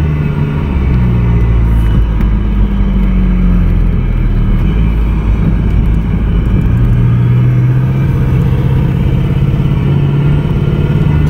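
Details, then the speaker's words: 1992 Toyota MR2 project car, now being driven: deep rumble with shifting revs and an uneven stumble under load, skipping badly after first running smoothly. Owner suspects plugs or wires. Engine misfire. "skipping pretty bad but it was running like really smooth when i when i first got running"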